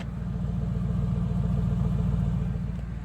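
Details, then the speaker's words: 2007 Yukon XL at steady idle after sealing a hole in the side of the muffler with muffler weld: deep, even low rumble with no puffing or hiss from a leak, quietest it has ever sounded, exhaust straight out the tailpipe; normal exhaust. "So let's fire it up and see how it sounds. Actually, the quietest I think it's ever sounded."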